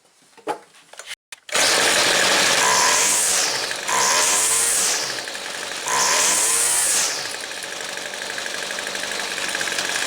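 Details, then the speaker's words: Weed Eater two-stroke trimmer after opening the low-speed jet another eighth turn, stutter cured: engine starts, takes throttle blips, then idles slightly too fast; idle speed set too high, to be turned down. "but i still think that the actual idle speed when it's idling still just a little too high so i'm going to start it back up and i'm going to idle it down just a little more"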